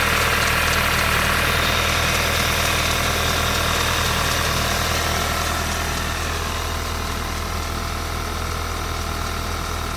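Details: 2012 VW Mk6 GTI turbo petrol, misfire usually on cylinder 3, cam too advanced/retarded code despite new injectors, coils, plugs and cam sensor: uneven idle with regular stumble about four times a second.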